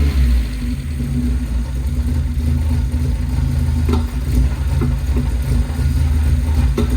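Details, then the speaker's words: Mazda Miata engine swap after fitting a replacement alternator, belts and power steering: low, steady idle rumble with a faint even whir, no knocks or misses; started up not too bad, running acceptably. "Started up and it's not too bad. The rest is fine."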